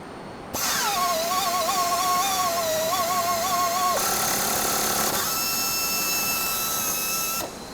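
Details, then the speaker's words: Pneumatic Flex tapping arm with 1500 rpm motor tapping a 1/2-13 blind hole in aluminum: wavering motor whine drives the tap in, then steadier note with fast ticking about four per second as the holder's clutch slips out at hole bottom; normal. "so as you saw there we got a clutch mechanism in our tool holder so once the tab reaches the bottom of the blind hole it clutches out before the tap breaks"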